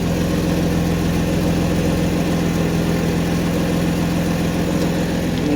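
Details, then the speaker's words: 1991 Mercedes 190E idling after rear exhaust section work: deep rumble, no resonator (straight can), with fast puffing tick on each pulse; exhaust leaks at bad resonator donut and seal, another leak up front. "Also, the donut is bad for the resonator, and the seal is also bad. So I have a leak there, there's a leak up front, and that's that."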